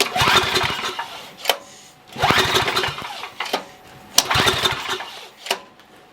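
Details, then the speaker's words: Coleman Maxa 5000 ER 5000 W generator, run position, choke on, fuel valve open: four pull-start rips a couple of seconds apart, the engine turns over but never fires; no-start, fuel starvation suspected, so the fuel bowl is checked. "all right so that's not running at all um first thing I'm going to do is crack the uh fuel bowl so we going to go ahead and crack this open right here check and see if we even have fuel going into the bowl"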